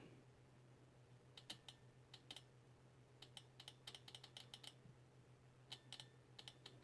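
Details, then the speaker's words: Fuel injector bench-tested with a 9-volt battery while diagnosing a P0171 code, injector resistances about 15 ohms: crisp light ticks in quick clusters each time power is applied, against a quiet background; injector clicking open normally. "And then here's the 9-volt battery, and what you do is you just jump it. You can hear the latch open up."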